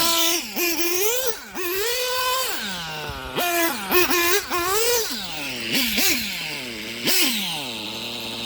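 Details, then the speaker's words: STS D21B nitro engine on Traxxas Top Fuel 33% nitro, torture test: high-pitched engine revving up and down cleanly with crisp throttle response; bottom end was slightly rich, brief pinging later suspected as detonation: normal high-rev running. "If it starts to lean, Bob, we'll back it off. She is singing."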